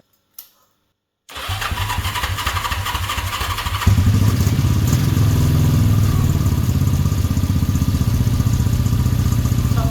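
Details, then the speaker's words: 1970s Honda CB350 twin, project bike, first start after carburetor work on fuel: brief crank, fires straight away and settles into a steady, even idle with a firm low beat; one cylinder pings more. "No way. Coke is hot. It starts straight away."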